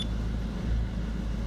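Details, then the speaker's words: Peugeot 207/308 diesel after alternator replacement, battery 11.89 V rising to 14 V charging at idle: steady even low clatter with no knock, whine or squeal; normal idle, new alternator charging. "14 शानदार ठीक है इसलिए आप इसे अजीब तरह से देख सकते हैं कि यह वास्तव में चार्ज हो रहा है तो इसका मतलब है हमें जो अल्टरनेटर मिला है वह एक अच्छा अल्टरनेटर है, यह बैटरी चार्ज कर रहा है"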